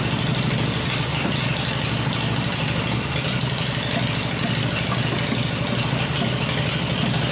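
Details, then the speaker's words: Freshly built Harley Evo V-twin on a test stand, exhaust pipes covered to hear the engine mechanically, during a one-minute run cycle: steady even idle, smooth low beat, no knocks, ticks or misses; normal idle. "it's fired up it's running the engine's smooth I cover the exhaust pipes up and that way I can hear everything in the engine working without listening to the exhaust this motor sounds really good I'm really pleased"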